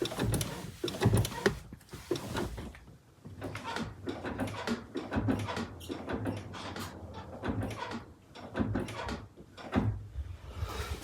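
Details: Honda CR-V 2.2 L i-CTDi diesel: repeated creaky squeaks with each clutch pedal stroke, from a clutch release fork running dry at its pivot; fixed by cleaning and applying high-temperature grease.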